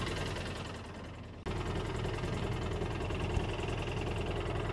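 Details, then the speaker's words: 2013 Polaris Ranger running with the engine light on: idle turns uneven and lumpy with a skipping beat, an injector misfire (code 651, low power) caused by a broken electrical connection at the injector wire. "all right with the engine running we can see that we have our engine light and we can hear that engine is missing"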